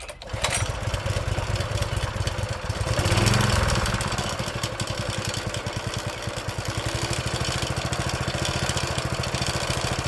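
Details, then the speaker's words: Old Honda GX engine on a tiller, sitting about 6 months to a year: catches on the first pull, briefly revs, then settles into an even thumping idle around three beats a second; normal start and idle. "It's been sitting about uh probably about 6 months to a year, I'd say. And it's an old Honda motor. She'll fire right up."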